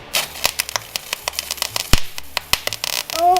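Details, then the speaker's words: MIG welder, first-time welder practicing on scrap: irregular crackling pops and sharp snaps instead of steady frying hiss, arc sputtering badly; poor ground suspected, not confirmed. "you're doing it horrible oh that was horrible the ground is not very sound so it wasn't my fault well when you can hear that noise you usually stop"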